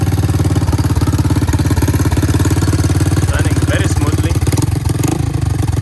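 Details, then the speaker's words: 1984 Honda ATC 200 three-wheeler single-cylinder engine started during oil service to check the oil level after refilling; steady, even putter at about three and a half beats a second, no misses or knocks, normal clean idle. "So what I'm going to do is to start up the engine, let it run for a bit."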